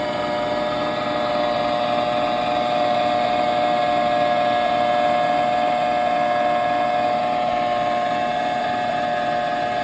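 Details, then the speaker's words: 2020 NordicTrack 1750 Commercial treadmill (ntl14129.9), about four years old, loud steady mid-pitched droning hum; owner suspects worn front roller bearing, like a car wheel bearing, before bearing replacement. "as you can see it's really loud and it's really obnoxious and uh it's definitely not not good so what I thought it was listening to the sound and I've had that same sound on a one of my Audi and it was the wheel bearing"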